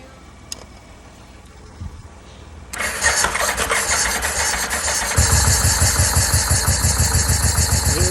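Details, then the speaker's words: 2004 Yamaha VMAX, 4,400 km, not started for over 15 years, first start on fresh gasoline: after long crank it catches and runs rough with uneven stumbling pulses about three a second; misfire from a bad coil, two bad plug leads and mismatched plugs. "after the initial startup I checked the coils one was no good two of the spark plug leads were no good and I also changed over the spark plugs because there were two different sets in there"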